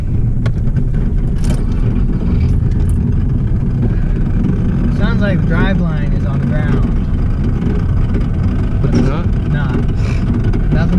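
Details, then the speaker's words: RWD-swapped Subaru driven after an explosion under the car and oil streaked along the road; engine still runs good: a steady, heavy low rumble under way with a loose rattle mixed in. A rattle that means the car should not be driven. "see if your car is making this sort of rattling sound you should probably stop driving it"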